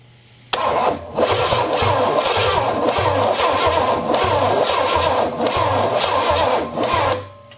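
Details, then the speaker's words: Engine fitted with a Quadrajet carburetor and fresh fuel, cranked on a battery too flat to turn it fast: the starter grinds slowly in a sluggish, uneven chug for about six seconds without catching. Slow cranking from a weak battery. "nope battery's too far dead it ain't turn it over fast enough"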